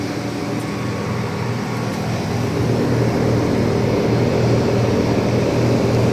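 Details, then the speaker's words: 2007 Trane XB13 5-ton central air conditioner condenser starting up: steady low hum with even fan whoosh, no rattles or screeches; normal running. "Yep, yeah, it sounds like a stroll. So this is a nice unit actually."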